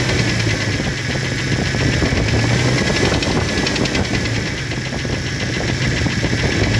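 Steady idle with a constant hollow knocking running through it at a fairly quick beat, typical of a slapping piston with a broken skirt.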